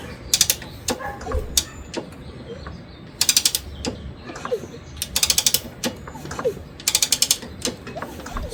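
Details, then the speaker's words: 1963 Honda CA95 Benly barn-find, both plugs out (NGK D8HA), fluid squirted into the cylinders, ignition off with no key. Quick ratchety kickstart clicks as it spins over smoothly without binding. Not seized; normal engine turnover. "Spins over nice and smooth."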